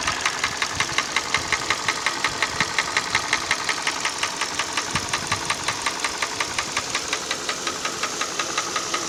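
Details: Hyundai ix35 petrol engine at idle: sharp, regular ticking knock about three per second over steady idle; internal engine knock, cause unknown.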